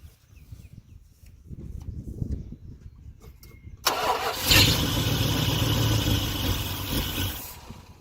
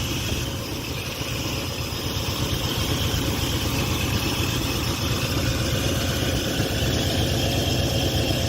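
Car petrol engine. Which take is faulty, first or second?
first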